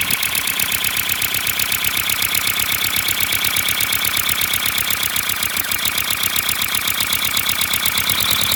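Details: 3D-printed flat-four compressed-air engine, 30 mm bore and 25 mm stroke, run from an air compressor: quick even puffs about four a second over loud hissing air venting straight out with no exhaust; runs smoothly and seals well.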